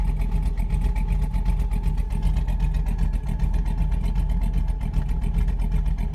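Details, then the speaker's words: V8 truck after cam swap, HP Tuners idle tuning, in gear commanding 600 rpm with lowered base running airflow: deep, slow, lumpy idle, barely running; idle too low, so about 50 rpm to be added back. "that sounds too slow play it's barely barely running at that so I think I'm gonna add some of that idle back in"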